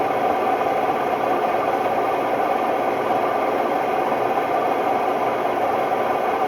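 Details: Hotpoint Ultima WMD960 washing machine on fast spin: loud, steady roar with a harsh rumbling edge throughout, from worn drum bearings.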